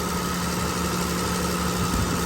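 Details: BMW at idle during intermittent A/C high-side diagnosis, electric fan also running: constant low hum with strong rushing air as the thermal fan clutch engages and pulls hard, high-side pressure dropping.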